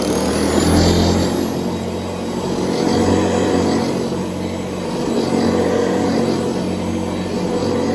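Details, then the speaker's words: Old Hoover Convertible upright vacuum run after servicing, with the brush roll done and its rust-seized bearing soaked and greased: a steady, even motor roar and hum with no rattle or surging. An earlier noise was blamed on a loose Hoover roundel; it now runs normally. "Yeah, I think we may be good. Yeah, I don't see anything."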